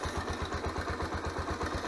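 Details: Honda CBX125 Custom, owned about 10 years, at idle: a dull even thump about seven to eight times a second under the exhaust beat, an internal knock. The owner fears the piston and hopes it is the cam chain or tensioner, unconfirmed.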